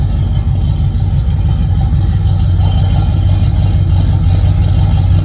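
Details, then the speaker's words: 1981 Camaro drag/street car V8, timing recently fixed with no misfire, awaiting intake and thermostat housing leak repair: deep, loud, steady burble at idle with even lope, no squeal or ticking; healthy idle. "i just love the sound this motor it sounds good"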